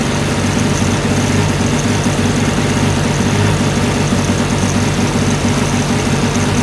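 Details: 1980 Sea King by Chrysler 15 hp two-stroke outboard, slow acceleration: steady drone with stumbling beat and dropped pulses as the top cylinder misfires from quarter throttle, recovering at mid to full throttle; coil swap showed faulty ignition coil, condensers already replaced.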